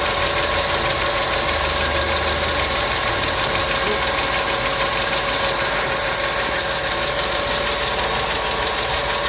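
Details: Customer's engine at idle with noisy hydraulic lifters, started after an additive was poured in, which later cured the noise; light sharp ticking about three per second over steady idle, hydraulic lifter tick.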